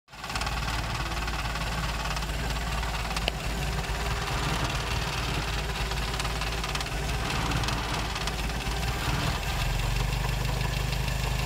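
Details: 1956 Triumph TR3 engine at steady idle: a dull, regular knock rides under the exhaust beat. Internal engine knock, cause not yet pinned down.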